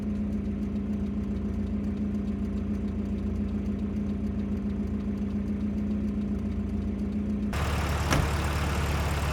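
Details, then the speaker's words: 1989 Volvo 740 GL saloon left in a field for at least 3 years, started straight up with compression confirmed and no coolant in it. A steady, even idle with a low constant hum and no knocks or misses. A smooth, normal idle. "and it started straight up like it's in use every day so um good news terrible for Content absolutely terrible for Content"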